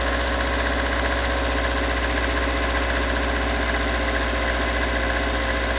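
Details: Toyota AE86 with stock bigport (blue top) 4AGE, unmodified, regularly maintained, about 195,000 km; cold engine rough idle with steady ticking knock about three per second over exhaust drone; cause not located.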